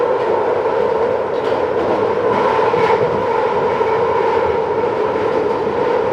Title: London Underground Central line screeching noise (Headphone warning)